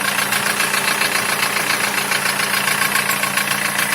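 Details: Opel Ascona, camshaft and condensers already replaced: steady idle with regular light knock three or four times a second over the engine note; cause unknown.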